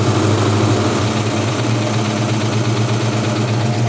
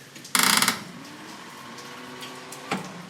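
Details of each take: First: 1956 Ford F100 started after about 8 years in storage, choke pushed in: steady low rumbling idle, slightly uneven but holding with no knocks; it smoked and later died, probably out of gas. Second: 1956 Ford F100 after about 8 years in storage, clutch pressed: one short, sluggish ratcheting crank of about a third of a second, then silence; the starter barely turns the engine, battery suspected low and left to charge.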